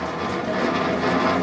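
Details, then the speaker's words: Raglan 5" lathe driven by a generic AT1-style inverter through a new remote: e-stop released, forward run started and speed wound up. Motor hum rises smoothly and evenly with no grinding, knocking or stutter, a healthy run-up. "now if we release the e-stop we should get forward run coming on and if we wind up you can hear the lathe starting"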